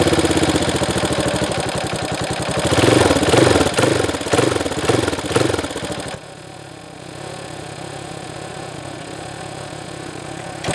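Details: Honda CRF230F carbureted dirt bike, sat a year with pump gas, no stabilizer, choke on, started after first failed crank: fires and revs in even pops, then settles into a steady idle putter; starts and runs cleanly.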